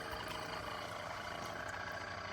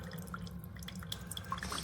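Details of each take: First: Chefman single-serve K-Cup/ground coffee maker brewing, otherwise quieter than a Mr. Coffee; unusual fast buzzing rattle from the pump, about three pulses a second, then it cuts out; water not very hot, cause unclear. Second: Chefman single-serve K-Cup/ground coffee maker brewing normally; soft irregular drips and trickles over low hum, nothing rattling, quieter than a Mr. Coffee.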